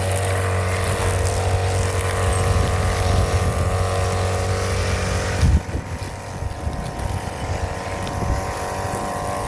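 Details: Brand-new Hyper Tough 2-cycle 18-inch straight shaft gas string trimmer (26cc per description, 22cc spoken), cutting grass: revs high and steady, then drops lower under uneven cutting load; runs cleanly, normal.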